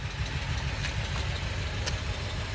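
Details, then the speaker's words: 2006 Acura TSX at idle before repair, misfire worse from inside the cabin: rough, uneven rumble that lurches and stumbles. Engine misfire at idle. "I don't know if you can hear that. It's worse when I'm sitting in it. Oh. Yeah, that's awful."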